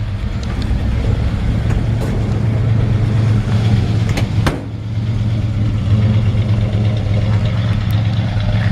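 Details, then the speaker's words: 1948 Ford F1 pickup, cold engine with idle pushed up on choke, possibly over-choked; deep, even rumble at raised fast idle, steady apart from one brief dip, idling cleanly. "she's still cold so I push the idol I'm probably a little too far choking"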